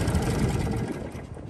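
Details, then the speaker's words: Lawn mower single-cylinder engine previously run low on oil, after DIY rebuild, at lowered rpm: steady buzzing exhaust, no audible knock from the bottom end where knocking was clear before; normal running. "so there we have it I can't hear audible knocking standing next to the mower and I suppose in that respect it's a huge Improvement because beforehand it was as clear as day that knocking was you can't really not hear it"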